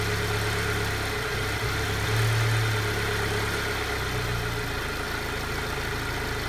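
Cold idle has an uneven, lumpy beat with a low wavering drone and a slight surge midway; rough running, cause not yet pinned down.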